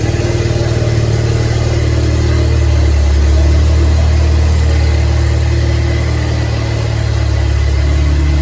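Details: DF Goblin project car, first start with no exhaust fitted: a very loud, raw open-pipe bark that rises and settles smoothly with throttle, with no knocks or misfires. Normal running without exhaust.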